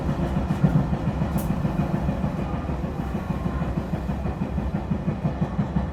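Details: E721-series train running between Nagamachi and Taishido, heavy rhythmic thump several beats per second from under the floor keeping pace with the wheels over steady rail rumble; wheel flat.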